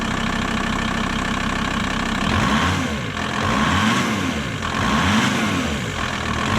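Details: VW T4 Transporter 2.5 TDI AJT/ACV 5-cylinder diesel after its original Stanadyne injectors were swapped for Bosch, no ECU changes: cranks briefly, fires immediately and settles into an even diesel clatter. Normal idle; the slow starting is cured.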